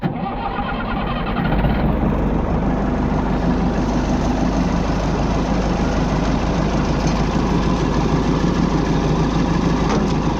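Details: Oliver diesel tractor (66, series 2 hydroelectric), unused since 2023, restarted after a loose battery cable connection: it cranks briefly, catches and settles into a steady, even low-rumbling idle with no misses or knocks; normal.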